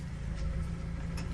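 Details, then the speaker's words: Vehicle on a cold day about 26 °F, after power steering fluid filled to the upper level with the cap off to bleed air, wheel turned lock to lock about four times each side: steady engine hum, no squeal or whine; power steering sounds very good. "Actually sounds pretty good. Usually you hear that. That sounds very good."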